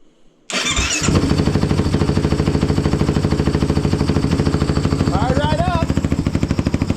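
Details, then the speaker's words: Kawasaki KFX450R ATV after a Dynojet tuner install: catches on the first try and settles into a steady, even single-cylinder thump at idle; normal start and idle. "Let's fire it up. Make sure she fires up good. Well, oh. There it goes."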